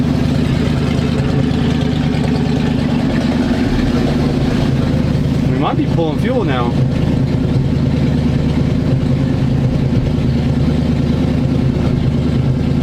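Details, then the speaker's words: 1985 square-body 454 big block, 4-speed, sat 20 years, fresh gas, 45-50 psi oil pressure, charging; choke on, steady even rumble at raised idle, no ticking or knocking; owner may need to work on choke/carb, won't rev well. Fast idle on choke. "look like the choke is on so that's why it's a little highing woo she sounds good"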